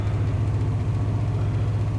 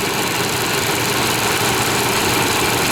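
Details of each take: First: 1998 Chevy Vortec V8 truck started after about 10-15 years sitting, following a Passlock reset and oil in the cylinders: deep, lumpy, slightly irregular idle, percolating rather than smooth, while being run out of fuel. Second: 1998 Chevy Vortec V8 restarted after about 12 years not running, following a Passlock reset; cylinders were filled with oil, slight exhaust smoke; loud steady idle, even beat, no misses or knocking, smoothing out; good oil pressure, alternator charging; normal idle.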